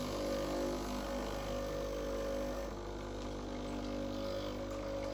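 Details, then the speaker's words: Breville Barista Express BES870, just serviced with a descale and cleaning, running a double shot of water through the empty locked-in portafilter to warm the cup: a steady, even-pitched buzzing pump drone with no sputter or strain, pump healthy. "Just lightly lock it in and press the double. That's going to give us a double quantity of water."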